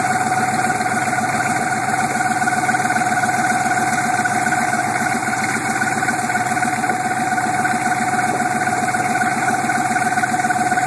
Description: weird engine noise on start up on my 87 suburban with a 6.2 turbo diesel. this sound has been around for about a year but has been very quiet until now. usually goes away after warmed up.